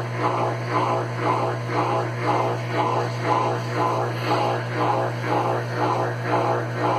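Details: Consul Facilite CWC10 washer that would not power on, fixed by replacing the power board: steady low motor hum with an even swish about twice a second, smooth and regular with no knocking. The spin runs normally.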